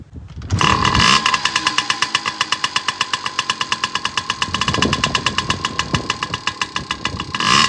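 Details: Yamaha PW50 two-stroke after oil filter and carb maintenance, started with the enricher pulled: catches quickly, then holds a fast, buzzy, even popping beat with light revs at the end. Running properly.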